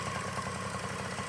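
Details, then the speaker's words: 1981 Yamaha QT50 moped after budget 60cc big bore kit, new carb and throttle slide, warming up: quick regular two-stroke putter at steady speed, no stumbling or surging; running good, normal idle. "And uh she's running good so far. We're warming up."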